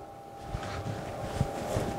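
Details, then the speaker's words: Three-phase induction motor single-phasing with one phase lost: power on, rotor sits stalled with a steady electrical hum and no speed-up until the shaft is twisted by hand. "just watch we turn on the power we hear the humming"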